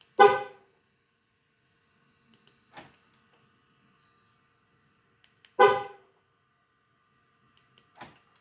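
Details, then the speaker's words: Dodge Challenger key fob after fitting a new 3.2-volt battery: two short horn chirps a few seconds apart, each answering a press promptly; normal lock chirp, fob works every press. "there goes good battery works just like it should you don't have to push the button uh eight times"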